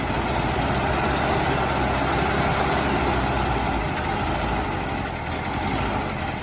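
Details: 1968 VW Bus air-cooled flat-four after rebuild, valves/rockers adjusted and distributor set to cure earlier clacking: settles into steady, even idle with regular chuffing beat, no clatter or backfire; healthy.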